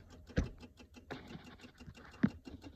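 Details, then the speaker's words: Nissan Titan during a 4.5-inch spindle lift install: soft, uneven light taps and occasional louder clicks from inside the dash, which began while lifting the truck. Cause unknown. "Tapping. I don't know why. I just been trying to lift my truck up and it's making a tapping noise now on the inside of the dash."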